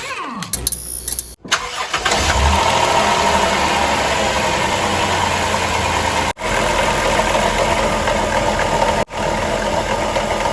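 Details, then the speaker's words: 2006 Dodge Grand Caravan at idle: loose marbly rattle, worse when decelerating, loudest at the alternator case and quieter at the tensioner; failed alternator decoupler pulley. "is a rattling noise at idle, especially when the engine is decelerating. It sounds kind of like marbles in a blender."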